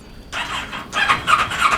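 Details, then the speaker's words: Kawasaki Ninja 650: high starter squeal with whirring crank that never fires; start button must be pressed hard and works inconsistently, so ignition switch suspected, though cause could be a variety of things; cranks but won't start. "It's very inconsistent. So there's crank, but there's nothing else."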